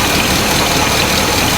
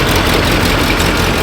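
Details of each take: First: 1984 GMC K10 Suburban, first start after sitting about 20 years, with vacuum lines unhooked: rough, uneven idle with raspy puffing and an occasional stumble; owners suspect a small exhaust leak underneath plus a slight miss. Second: 1984 GMC K10 Suburban V8, bought at auction and sat about a year and a half, first run after revival: steady, even low rumble at idle with no knocks or misses, sounding better; normal idle.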